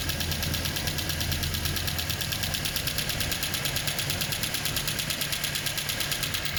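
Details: Toyota 2TR-FE engine being run in after overhaul: steady, even idle with fast uniform valvetrain ticking and no uneven beats; normal idle.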